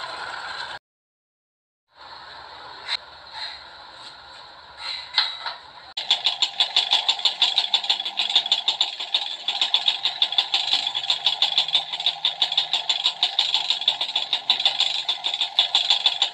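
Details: Yamaha Alfa (two-stroke) and Honda Supra 125 losing power; sharp regular tick about three a second at idle from the cylinder/piston area, suspected from the conrod; piston slap from worn piston-to-cylinder clearance, piston to be replaced.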